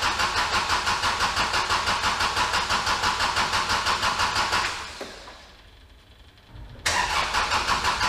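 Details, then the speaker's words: Kubota L4701 tractor after a full service including fuel filter change: starter cranks steadily, about three pulses a second, repeatedly without firing, fuel pump heard clicking; air in fuel system, keep pumping to prime. "lucky number three hopefully I mean the fuel pump's clearly working I can hear it clicking lucky number three here we go [Laughter] would you believe it lucky number three didn't do it"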